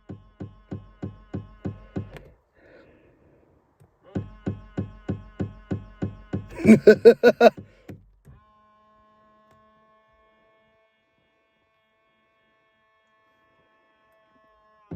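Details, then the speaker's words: 2000 Ford Explorer XLT 4WD, driver-side power mirror: sharp, regular knocks of about three a second in bursts whenever the mirror moves, quiet between; mirror drive knocking, cause unknown. "this is our Funny power driver side mirror on our 2000 Ford Explorer XLT four-wheel drive that noise is going to make me laugh"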